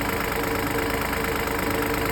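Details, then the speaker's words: Fiat Pulse three-cylinder engine at idle: fast, even ticking over steady idle hum, sounds like knocking but dealer said normal at two services; normal idle. "mais estranho que pareça isso é normal eu não sei se é porque é um motor três cilindros e normalmente o motor três cilindros ele tem uma vibração mas parece que o motor tá batendo né"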